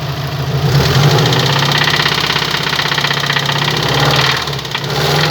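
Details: Subaru Impreza WRX bugeye: deep, regular rod knock that speeds up with the revs and stays through the blips; worn connecting rod bearing.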